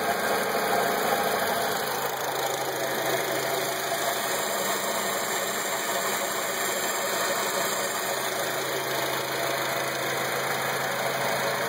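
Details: Acura TSX at idle: steady idle with a busy, uneven rattle and hiss on top; something in the engine is making a weird noise, cause unclear.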